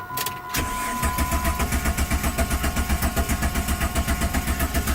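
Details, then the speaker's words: Jeep with 4.0L six-cylinder, code P0320: even starter cranking about four pulses a second that never fires; scan tool shows zero rpm while cranking, so no crank sensor signal; crank position sensor to be replaced, crank no start. "zero rpm while cranking you're never gonna start okay so i'm gonna uh go tell my buddy i gotta put a crank sense on this car before i do anything"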